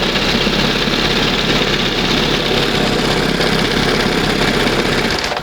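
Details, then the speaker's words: 1971 Johnson 20 hp two-stroke outboard after setting the idle mixture and stop screw, throttle just past the first mark: busy, buzzy idle holding a steady, even beat with no sneezing or stumbling. Normal idle. "That's the best right there. Sounds much better. And it's down here, you know, it's idling. It's at the first mark."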